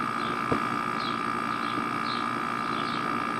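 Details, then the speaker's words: Outdoor air-conditioning unit after the fan started: steady even hum with a thin constant tone as pressure drops, running normally and much quieter than before. "que a pressão dele tá baixando está funcionando normalzinho"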